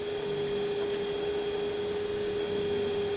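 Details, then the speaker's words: 2006 Toyota Prius coolant bleeding, about 1.5 gallons refilled, radiator seemingly full: electric coolant pump steady mid-pitched hum at about 3.5-4 amps, no wavering; running normally. "Pretty steady. So that's sounding pretty good."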